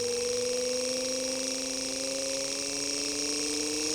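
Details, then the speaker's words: Normal 12V DC motor (775) speed-controlled by a PWM module, potentiometer turned gradually up toward full: clean electric hum rising steadily in pitch with speed, faint brushy hiss and louder rotor–commutator friction as vibration increases; running normally. "Getarannya juga bertambah. Suaranya juga sudah nampak agak muncul ya, kencang ya, dari gesekan yang dihasilkan oleh rotor dan komutatornya."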